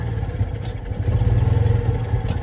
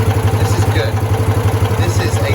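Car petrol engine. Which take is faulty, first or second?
first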